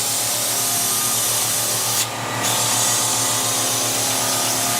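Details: Kaivac No Touch Cleaning System internal pump, pressure-hose ball valve open, vacuum hose sealed by hand to prime: steady low hum under a loud airy rush with no firm load note; running dry, air-locked, until pitch changes when primed.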